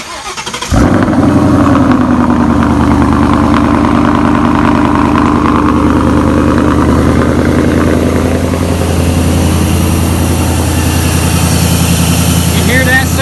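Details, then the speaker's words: 2017 Mustang GT V8 first start with new SCT tune, cold air intake and new exhaust: catches on first crank, strong even rumble, clean rev pickup, no knocks or misses; healthy start and rev. "Breathing. Hey, she's breathing. So good. Freedom's breathing really good."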